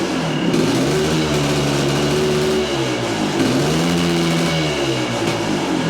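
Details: 1978 Yamaha IT400 two-stroke, restarted after idle judged too low: steady idle with slight wander in pitch, no knocks or misses; normal idle.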